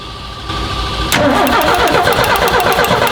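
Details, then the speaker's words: 1981 Ford F-150, 300 CID inline-six, during mechanical fuel pump replacement: starter churns steadily at about three beats a second but the engine never catches or fires; cranks, won't start. "Okay, yeah. Reach in and turn the key. It won't start."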